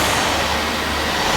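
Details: Dyson Ball Animal Multifloor vacuum on plush deep-pile carpet, easier setting after intense deep-clean mode: steady even motor roar with smooth hiss, no catching or flapping, brush roll spinning freely; normal running.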